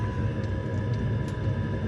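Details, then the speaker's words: Espar diesel heater on a Sprinter van with driver's side exhaust, test run after priming the fuel line and replugging the four-pin plug: fan blowing, firing, fuel pump ticking, exhaust heating; steady clean combustion rumble with smooth fan hum, normal running. "fan is blowing it seems like things are firing fuel pump's moving this exhaust is starting to heat"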